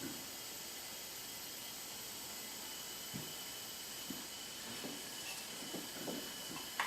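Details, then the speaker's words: Hyundai Genesis 2.0T R-Spec, engine off, leak-down test after compression of 110/70/90/90 and milky oil: faint steady hiss, about 80% leakage through the exhaust side; exhaust valve or head gasket suspected. "yeah we got an exhaust valve from [Applause] or a head gasket"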